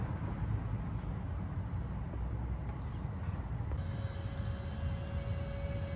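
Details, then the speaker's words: Land Rover Td5 diesel, fuel system air purge after repairing a leaking fuel pressure regulator: ignition on, accelerator pressed five times, fuel pump cycling for about five minutes; low steady rumble then even pump hum as fuel fills the common rail and air bubbles are expelled. "peut entendre le carburant qui arrive dans le common rail de la tête du moteur au fur et à mesure toutes les bulles d'air vont être expulsés et le système sera pressurisé rempli de diesel"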